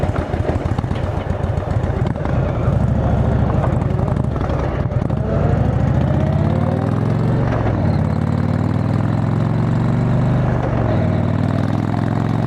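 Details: Motorcycle riding home after failed exhaust gasket replaced, bike still needing a tune: steady low exhaust drone rising and falling with throttle, no ticking or puffing; exhaust leak fixed.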